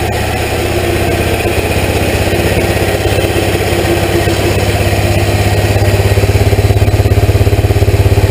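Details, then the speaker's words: Hot rod golf cart small engine, first run after hand-pull start with starting fluid, choke on, temporary test: fires and settles into deep even burble through muffler about three beats a second; normal idle. "it's not gnarly loud well the tailpipes not loud it does have a nice Rumble coming through the muffler back here through the muffler in this tip I love that sound it's got a little bubble bubble bubble"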